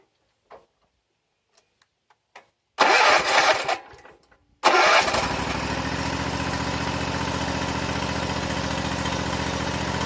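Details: Kawasaki engine on a mower after fixing and lubricating a sticky choke: two quick cord pulls, it fires and settles straight into a smooth, steady run. Normal start and running.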